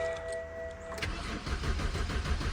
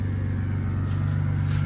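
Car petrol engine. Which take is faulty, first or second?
first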